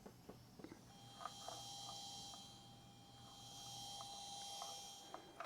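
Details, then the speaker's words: Small Bluetooth amplifier for a scale speaker and subwoofer build, just powered on with no music playing: very quiet steady low hum with a faint thin tone above it; cause unknown. "a slight little hummerino coming out of it."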